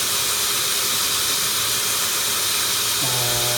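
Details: 1979 Toyota FJ40 Land Cruiser exhaust pressurized with a vacuum and sprayed with soapy water: steady, high, rhythmless hiss escaping at the exhaust manifold joint; the manifold gasket appears to be leaking.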